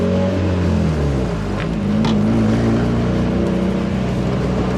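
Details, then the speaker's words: 240 engine idling after sitting about three months; idle pitch wanders up and down, not steady on the gauge; owner suspects the idle air control valve needs cleaning; unsteady idle. "look let me see if it does it again you can just see the idols on there they're not steady so there's still another issue"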